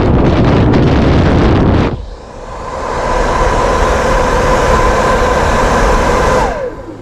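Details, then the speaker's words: 1972 Mercedes-Benz 280 SE 4.5 (W108) AC cabin blower motor after cleaning and lubricating to cure screeching, bench-run on 12 V battery: spins up to a smooth steady hum with no rattle or grinding; normal blower motor run. "I started wants to roll see how nice that is rolling nice"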